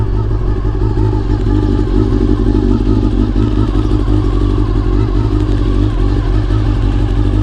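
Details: Honda CBR400RR (NC29) inline-four after replacing the noisy fuel pump with a CBR600F pump: deep, steady burble with even beat and no pump whirring or buzzing; runs smoothly, fuel pump noise fixed.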